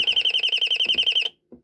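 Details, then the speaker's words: Royal Smoke, Gas and Fire Alarm, estimated late 1970s or 1980s, speaker-driven rather than electromechanical or piezo, in test mode: about a dozen rapid shrill high-pitched chirps, roughly ten a second, then silence and one short blip. The self-test shows the alarm working. "It did a test mode this time, which is good. That's cool. A test thing."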